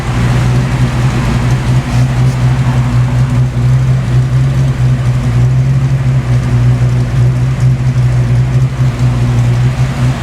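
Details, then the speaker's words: Fox Body Mustang with new O2 sensors, fuel pressure raised to 45: improved but still a hunting idle, a deep heavy rumble that swells and sags over several seconds; cause unconfirmed, ECT sensor next suspect. "Pump the fuel pressure up to 45. I seem to make an improvement, but still got a hunting idle to a certain degree here."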